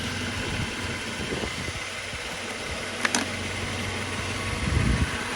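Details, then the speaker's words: 1983 Mercedes-Benz W126 380SEC Euro grey-market: once fully warm after driving, the idle hunts, dipping and swelling over a few seconds with a couple of clicks, sometimes stalling; removing the OVP relay changes nothing, cause not pinned down. "It's usually after I drive it for a while, it gets the engine warm, that it, starts kind of searching. The RPM search a little bit, and then it wants to go down and idle down and sometimes"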